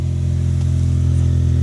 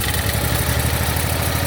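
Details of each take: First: 1991 Daihatsu Mira walkthrough van, cold start after priming the fuel system and replacing oil-soaked parts: small engine revs cleanly with a smooth steady drone, no stumble or rattle, slightly smoky at startup; normal running. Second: 1991 Daihatsu Mira walkthrough van, started after refitting the distributor cap with corroded, worn tips, still smelling of fuel: uneven, lumpy idle with irregular stumbles, better than before; still misfiring.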